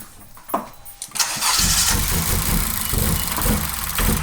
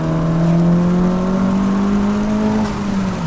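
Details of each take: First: Honda Civic Si started cold: catches and settles into a lumpy, uneven idle with irregular dropped beats and a squeak; cold-start misfire, scanner check pending. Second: 10th-gen Honda Civic Si turbo after fix, accelerating hard in second gear at full boost: smooth strong engine note climbing steadily, no misses or rattles; normal full-boost acceleration.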